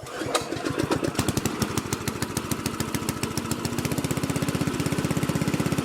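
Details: Curb-find Lesko walk-behind leaf blower swapped to a Predator engine: catches after a cough and settles into a quick, even putter of about four beats a second, no knocks; runs healthy.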